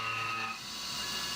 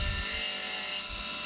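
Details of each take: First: CNC milling an AR15 gasblock, aggressive roughing, spindle override briefly reset toward 2125 rpm: high shrill ringing over the cutting hiss; end mill chatter, sounds bad at this speed. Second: CNC finishing pass of five thousandths on the floor of an AR15 high-rail gas block after two roughing passes: steady, high, even cutting whine with no chatter, spindle winding down smoothly; clean, normal finishing cut.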